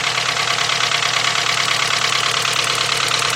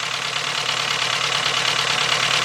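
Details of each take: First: VW 2.0 engine running rough after a fuel pump change, plug wires 1 and 2 crossed: rough idle with an uneven, regular stumble about three times a second; misfire stays on cylinder 1, so not the plug wire. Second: 2.0 Volkswagen with a misfire, engine running: fast, crisp, evenly spaced clicking heard through a two-foot extension held on the fuel injector body; the injector is firing normally.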